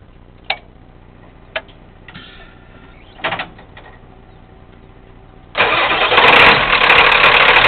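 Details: Truck after sitting, microphone close to engine: starter cranks, engine catches into a loud, slightly uneven idle that smooths out after several seconds; rough idle after cold start.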